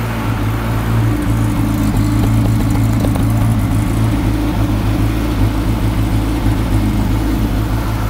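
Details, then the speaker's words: Classic Mini Clubman campervan, first run after blowing into the tank to push fuel up to the pump: idle wavers and lumps unevenly but is mechanically sound, with no taps or bangs; cause of the lumpiness is unknown. "it's running a bit lumpy but it sounds sweet mechanically there's no taps or bangs or anything no it sounds nice"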